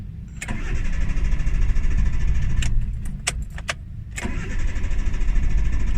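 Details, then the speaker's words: Hyundai Getz petrol engine with hard starting, high unstable idle and stalling, hot or cold: long cranking with a steady churning rhythm, struggling to catch; once running it misfires and idle drops; intake, throttle body or injectors suspected. "hirap eh ang hirap paandarin tol"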